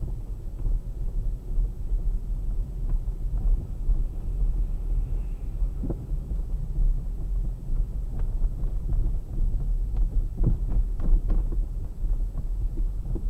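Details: Kia Sportage 3 while driving, before repair: irregular dull knocks, sometimes bunched, over steady low road rumble; steering rack knock.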